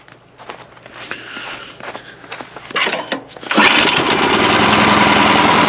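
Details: Snow blower small gas engine, run outdoors after replacing the clogged carburetor: some clatter, then fires and holds a steady, even drone, running smoothly and healthy.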